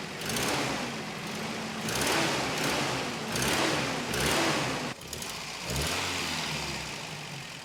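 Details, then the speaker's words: 1993 Toyota pickup with a rebuilt engine after the distributor was moved a tooth, exhaust leak present: revs rise and fall unevenly with a hesitation and sudden dropout; stumble from ignition timing off. "Alright, I think I need to move the distributor one more tooth. Couldn't quite figure out why it had that weird stumble, but I moved the distributor all the way down again and it seems to clear itself up a bit."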